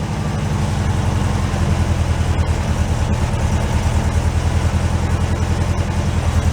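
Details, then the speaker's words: 1968 VW Beetle barn find, air-cooled, sat five years, first start with new battery and carburettor primed through the float-bowl vent: steady, even low rumble with regular firing pulses, no knocks or misses; runs smoothly. "I am very happy with that. That's one nice little car."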